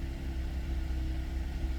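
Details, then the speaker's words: Buick after a no-crank no-start traced to the PCM, used PCM cloned and updated via SPS: low steady even idle with no misses, knocks or hunting; starts and runs normally. "Starts and runs, everything's up to date."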